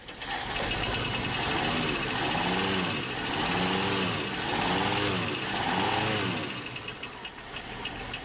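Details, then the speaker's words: 1976 postal Jeep parked in the woods for years, with low oil pressure: under load a dull loose knock swells with each rev over a rough engine; rod knock from excessive bearing clearance suspected, unconfirmed. "Beginning to think we might be working with a rod knock. And that's where all of our oil pressure is going, you know, because the bearing clearance is so big. The thing about a rod knock is you'll be able to tell as you put it under load, it'll get louder."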